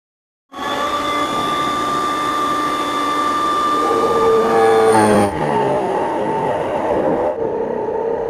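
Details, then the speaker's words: Mini bench drill fitted with a 10 mm wood bit, drilling a 20 mm hole in wood. The motor whine drops and wavers as the bit bites, slowing under load. Owner suspects the machine has burned out. "और मुझे लग रहा है कि ये machine जल चुकी है।"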